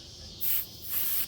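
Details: 2003 Kenmore R22 window air conditioner, bullet piercing valve on suction line backed out one turn: sharp high hissing in short bursts over quiet background; refrigerant escaping at the pierced valve.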